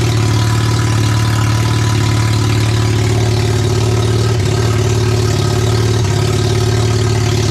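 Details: Barn-find RX7 12A rotary, sat for years, first run on its carb with an electric fuel pump (needle and seats suspected of flooding, small leak): loud, steady buzzing idle with a couple of brief dips; running on its own, healthy; later apparently ran out of fuel.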